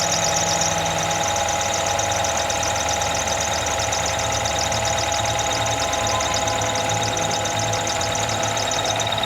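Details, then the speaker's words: Toyota GLi idling after tappets set and a tight belt loosened (P1604 code, tappet noise complaint): steady, even idle with a light, fast tick on top and no heavy knock; engine running healthy. "Coat लगा, ये belt हमने ढीला किया है, इसका गाड़ी बिल्कुल VIP हो गई जैसे चाहिए।"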